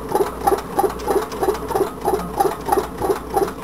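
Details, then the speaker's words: Homemade tin-can Stirling engine running under speed, only about 7–10 psi acting on its roughly half-inch piston: light even double tick about three times a second, slow and gentle. Short displacer crank lobe limits travel; a wider piston is planned. "I'm only getting off anywhere from seven maybe ten pounds of pressure on that piston up to the crank and that's what it's running on this should run a little faster than it is"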